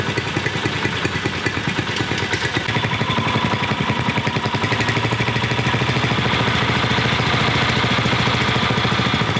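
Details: Subaru Robin 9 hp single-cylinder generator engine swapped into a Yerf Dog kart, with an aftermarket intake on a modified Predator adapter and the governor arm cut, on a first run: quick, even exhaust beat with no knocks or rattles, running smooth and fairly quiet.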